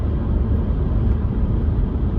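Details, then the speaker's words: Alfa Romeo Giulia driving over bumps after sunroof fix with piece of cord: only smooth low road rumble, no clicks or rattles overhead; previous constant sunroof rattle gone. "I'm hitting like the little buns in the room nothing no rattles there you go you got yourself a $105 minute fix enjoy"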